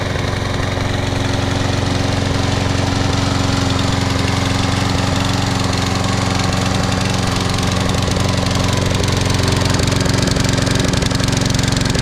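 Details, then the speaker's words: Free Troy-Bilt 21-inch push mower, Briggs & Stratton 675 series auto-choke engine, after carburetor and tank cleaning and fitting a new plug gapped to .030 instead of .020: steady running with an occasional stumble. Intermittent miss, cause not yet found. "Let's give this a start and I'll show you how it's running now. Here we go. Kind of got this miss every now and then."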